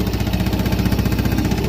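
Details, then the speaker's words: Used Yamaha Jupiter Z Robot motorcycle, bought in poor condition, at idle: fast loud chuffing with a rattly, uneven edge; noisy exhaust, suspected clutch damage, piston to be replaced. "nah ini agak ini berarti ada kesalahan di apa ada kerusakan di bagian perkopringan"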